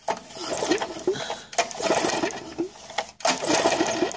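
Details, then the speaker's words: Moped/tiller small engine ignition test with spark plug removed and lead held near metal while pull-starting; three cranking bursts with light rapid clicking of spark; current passes, ignition works. "Enfin bon, on le voit pas, mais vous entendez le bruit du petit clic clic clic clic, c'est-à-dire que le courant y passe."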